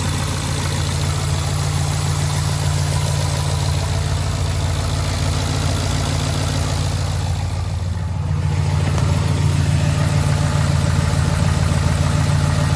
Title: 2011 Ford F-150 5.0 Rod Knock 2